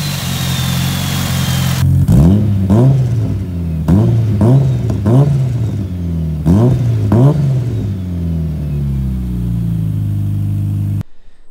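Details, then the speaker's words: Freshly rebuilt Mitsubishi Lancer Evo 5 with a 2.37 stroker 4G63T (600+hp build) on first start-up, warming from cold: smooth idle with clean revving blips and no knocking or ticking; the engine runs quiet and healthy. "rego de veau is finally running off through all that work and it's sounding absolutely amazing the engine is quiet as a mass"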